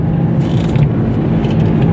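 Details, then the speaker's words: Toyota Etios driven on a level highway at cruising speed: steady low humming drone under road noise, clearest when coasting in neutral downhill; worn wheel bearing, seeming to come from the front right side. "ഹൈവേയിലേക്ക് ഓടിക്കുന്ന സമയത്ത് നല്ല മൂളൽ sound ഉണ്ട്, humming noise ഉണ്ട്. വേറെ wheel ബെയറിങ്ങിൻ്റെ ആണ് സാധനം."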